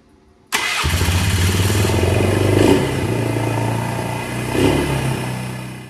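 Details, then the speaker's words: Polaris Trail Boss 330 after the gap, previously about a quarter inch, was reset to 15–30 thousandths by bending the bracket: catches first try and settles to a steady, even run with no popping or backfire. Carburetor still to be fine-tuned. Normal running. "so it sounds like it's running pretty good i'm going to dial in the carburetor just a little bit"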